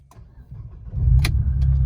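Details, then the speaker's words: Alfa Romeo 159 2.2 JTS after a flat battery from sitting parked with a 24-hour camera, jump-started by booster pack, battery now reading 12.4 V: on restart it cranks briefly, catches within a second and settles into a steady even rumble, a normal start. "yes and it starts fine right"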